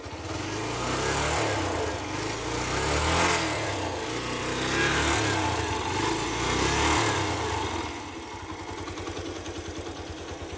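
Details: Yamaha YBR 125 single-cylinder engine after the knock repair (cleaned, lubricated and reassembled per the manual): it runs evenly when blipped and settles back to a steady idle with no knocking.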